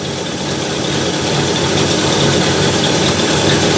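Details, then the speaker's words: 1968 Ford Galaxie 500 carbureted V8 with Holley carb, after setting timing and adjusting idle mixture screws: idles steadily with an even low rumble, no misses or stumbles; idle speed slightly low. Normal smooth idle. "like she's running pretty smooth double check our turbine pretty good"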